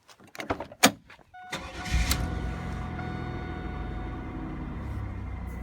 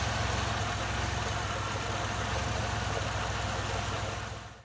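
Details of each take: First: 1997 Chevrolet Camaro RS 3.8L 3800 V6 cranks, catches and settles into a steady, even idle with no stumble, after replacing the cylinder 6 spark plug wire to fix a P0303 misfire; normal idle after repair. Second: 1997 Chevrolet Camaro RS, 3800 series 3.8 L V6, P0303 cylinder 3 misfire at idle: quick, uneven ticking over low hum; owner suspects plug wire not seated or cracked boot, wires about 1.5 years old.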